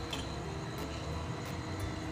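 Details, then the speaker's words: 43-meter concrete pump (pumpcrete) cleaning in reverse. Sharp ticks about every half second over the pump's steady hum show the cleaning ball running through the line, meaning the pipe is clean. "Pag narinig natin yung tik-tik dito, ibig sabihin malinis na yung tubo"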